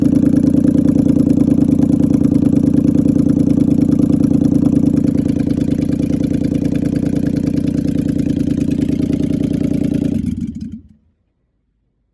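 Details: Land Cruiser V8 being checked for misfire: steady idle with a faint lumpy, uneven pulse before shutdown, as if a cylinder drops out. Cause suspected, not confirmed.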